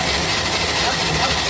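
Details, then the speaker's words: Classic 1965 Chevy van, six-cylinder, sitting about 50 years, cranked on the starter in neutral before spark plugs fitted: quick, even whirring spin with no compression pulses or scraping; turns over freely, feels good, sounds good, normal cranking. "Feels good, sounds good. Ain't nothing wrong with that right there."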